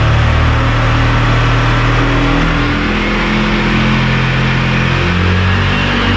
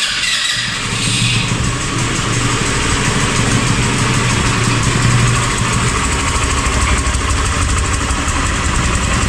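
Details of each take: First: 2019 Italika DS 150-G single-cylinder motorcycle after new carburetor fitted (old one flooded, plug carbonized, black smoke): buzz climbs steadily low to high revs without stumbling; no more black smoke, runs clean. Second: 2019 Italika DS 150-G motorcycle, near new, owner complains it stalls and gives black smoke: uneven, lumpy idle with the beat hesitating and dipping. Misfire and stumbling at idle.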